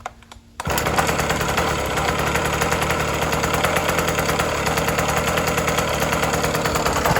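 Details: 1980s Cruise N Carry small outboard, sat about 20 years, after carb clean and fresh gas, choked first start: pulls over, catches, settles into a steady even buzzy two-stroke beat without misfires or surging; runs perfectly.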